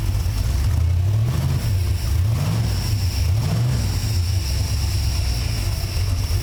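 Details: Engine with newly installed FiTech throttle body EFI, first start. Catches and runs with a deep steady drone, revs rising and falling smoothly before settling; healthy start.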